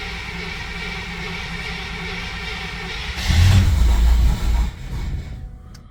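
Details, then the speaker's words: Car with Holley Sniper EFI after three years, temperature about 51, started after fuel prime and tightening a loose ground: low hum, engine fires with a brief loud surge and dies within two seconds; stall after start, cause unconfirmed, alternator also undercharging. "All right, so started right up initially, then died."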